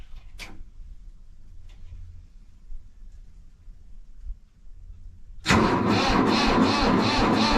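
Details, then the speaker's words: Mahindra 3525 tractor diesel at 18–19°F, unstarted about 1.5 months, before the booster pack: the starter turns it over with a labouring, even churn and it doesn't catch; the owner suspects a low battery. Slow cranking. "oh weall see right there it didn't like it at all it sound like a battery low so I'm going to go and get my booster pack and a hook up to it and let's see what it does"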